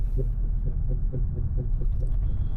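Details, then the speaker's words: Ford Transit Custom, rear pads and discs replaced a day or two earlier: rhythmic rotational rubbing whoosh while driving, about four pulses a second over road rumble, worse turning left as weight shifts; mechanic suspects the bearing, louder when braking. "rotational noise sounds like something's [Music] rubbing and it's worse when I turn left like all the weight is put onto that side"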